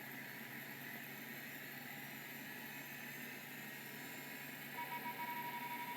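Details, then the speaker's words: Early Seagate ST-251 hard drive with stepper motor spinning up: quiet, steady hiss with a faint clean tone and no grinding or rumble; the spindle bearings sound normal. "let's see if it works good spindle bearings"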